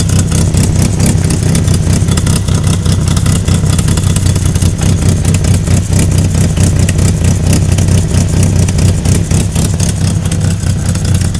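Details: 1998 Mitsubishi Eclipse RS at a loud idle; fast, uneven knock about four per second under the engine note, carrying through the revs; owner suspects it comes from the transmission; knocking noise, cause not confirmed.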